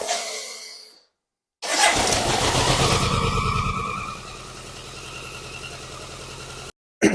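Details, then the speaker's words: BMW K100 that was over-fuelling, first run after about a month sitting since parts were replaced: it cranks, catches and flares, then idles lumpy and cuts out. It won't rev and is very smoky; the owner suspects timing is out after the trigger was apart. "okay so it does run uh it doesn't like graving up very much now there is a few things I need still to do on the bike uh I had the trigger off and apart so it may be that the timing is slightly out uh which would cause it to do what it's doing"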